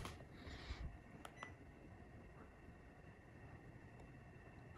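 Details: QUTWOB 52-inch wood ceiling fan with quiet DC motor, newly installed replacing old fan, running on low speed setting 1: very faint steady hush with thin high whine, no ticking or wobble; normal operation.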